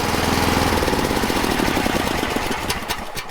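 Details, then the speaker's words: Diesel logging machine after a cable fix: loud clatter with a fast firing beat that settles and quietens as the engine drops back to idle; normal return to idle. "now this is what we fixed last night y'all hear how the machines idled down"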